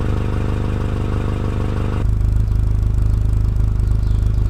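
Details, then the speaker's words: Honda Integra DC2 (B18C) idling warm after a long idle, temperature finally up, on first test drive after brake rebuild; smooth even idle with a rapid puffing tick from a small exhaust leak underneath the car. "temperatures finally coming up you can hear the exhaust leak underneath the car otherwise it's idling really nice and smooth"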